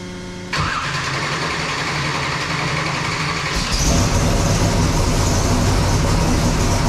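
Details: Sick Seconds 1.0 copper Camaro drag car, first fire-up after being freshened up and reassembled: cranks and catches right away, steady lumpy idle, then builds smoothly with throttle; normal start and idle.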